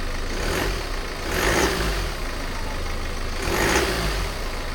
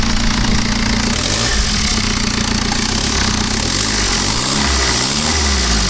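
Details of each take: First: BMW F10 518d B47 diesel after turbo replacement: steady idle with two clean revs, no whistle, knock or hiss; no more boost leak or oil leaks, engine runs solid. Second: BMW F10 518d B47 diesel during turbo replacement: revving with a steady rushing hiss over the engine note, turbo hose clamp fitted incorrectly; boost leak.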